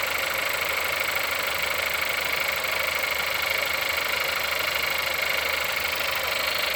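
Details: Engine at 176,000 mileage, cold start: cold idle with a sharp, fairly regular tapping about two and a half per second over the engine; knock from inside the engine.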